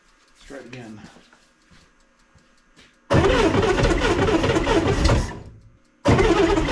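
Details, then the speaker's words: 1965 Corvair with twin carburetors, started after sitting all winter: two long cranking bursts of rough, gritty grinding with no firing. Owner suspects the starter is loose or failing and that the engine was flooded with too much gas. "what sounds like the starter is just loose probably shouldn't be continuing to do this without looking at it"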